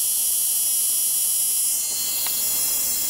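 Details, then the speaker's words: Replica radiant-energy charging circuit with capacitor above 132 volts and climbing, neon bulb lit: a thin high whine holds steady, then shifts and drops away as the charging oscillation seems to change; cause suspected, not confirmed. "um see you heard that change in it because this um the charging is hitting another I think the oscillation is"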